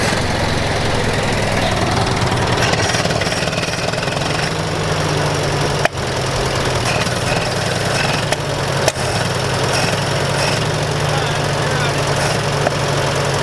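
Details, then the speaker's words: Massey Ferguson 65 tractor, throttle turned up: uneven lumpy loping idle with stumbles; the carburetor keeps flooding out and makes it run rough. "now this might backfire well we know it's gonna run so we gotta work on it a little bit here all right sweet now we gotta work on it from not flooding out obviously now"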